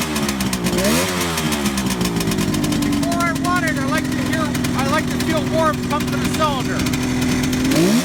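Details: 1971 Kawasaki H1 500 two-stroke triple, rebuilt engine and carburetors, cold start on choke: lumpy, uneven idle and ragged throttle blip with the center cylinder not firing from no spark; ignition or plug cap suspected.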